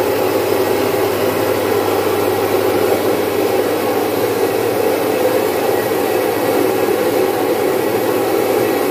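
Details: Domestic stone flour mill (atta chakki), single-phase 1 HP, grinding about 5 kg of mung into dal: steady even whirring grind and hum, no knocks or surges; running normally under load.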